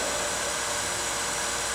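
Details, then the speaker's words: Kellenberger 1000U universal cylindrical grinder, footstock/workhead Rossi drive running, speed raised on the pot, oil on, spindle off: smooth, even motor hiss and whir, no knocks, grinding or wavering; normal running. "Runs nice. That's the Rossi drive back there."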